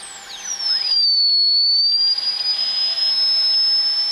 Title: Old Macintosh making weird noises due to dead capacitors.